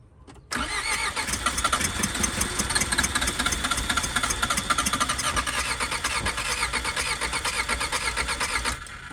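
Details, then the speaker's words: Skoda Favorit project car, not started recently: starter cranks about eight seconds with fuel poured down the injection unit, hints of firing that never catch, then runs out of fuel; cranks but won't keep running, cause not confirmed. "um so we've tried a bit of fuel down the injection unit there and it tries to catch on it really dries and then it runs out of fuel and it doesn't have anything to keep going"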